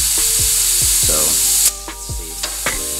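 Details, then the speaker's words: Turbo intake pressurised to about 15 psi with a boost leak tester: loud steady hiss, then small bursts as pressure drops quickly; large boost leak traced to the wastegate vacuum line, apparently a leaking aluminium washer on a banjo bolt. "i can already hear a leak so i'm going to probably fill this up to about 15."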